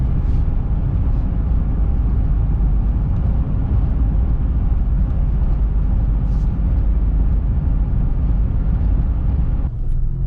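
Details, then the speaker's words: 2005 Jeep Liberty KJ CRD at about 65 mph on the highway, after replacing both front wheel bearings and hubs that had caused a loud front grinding: steady road and wind roar with no wheel growl, cab down from about 81–82 dB to about 74.75 dB, quiet. "we can see from running the road test we went from about 81 82 decibels down to about 74.75 so that's good i can tell it rides quite a bit quieter"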